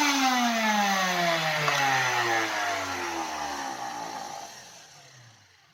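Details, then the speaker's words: Karcher WD 2 wet/dry vacuum still roaring loudly with a rough whine sinking in pitch as it spins down after motor bearings were replaced; owner suspects construction debris stuck on the turbine fan blades. "подшипники действительно шелестящий это получше но не убрался смотрите как он ревет"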